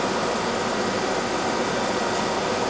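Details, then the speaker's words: Used Mazak QTN 100 CNC lathe, spindle dialed up manually from 1470 through 2000 and 2800 to 3500 rpm: even airy whir with a thin high whistle, no knocking, grinding or wobble. Humming right along, spindle runs normally. "35. That's great. Yeah, it's humming right along."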